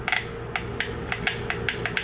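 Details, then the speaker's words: Volvo VN/VNL semi truck instrument cluster warning buzzer speaker, removed and bench-tested with a 9-volt battery after re-gluing a dried-out connection: sharp, irregular crisp clicks about every quarter second, no rattle or buzz; speaker and connection confirmed good. "so now we know this is 100% good speaker good connection because I just checked it with my 9-volt batteries"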